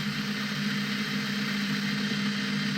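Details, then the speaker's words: Prometheus blaster upgraded with SunnySky 2216 2600kV brushless motors and aluminium flywheels, bench test with no load, 11.1V in regulated to 16V, maximum 1.5A draw: smooth, even hum, no wobble or rattle; running normally. "Still on a maximum of 1.5 amps with no load on it. Everything's working well there."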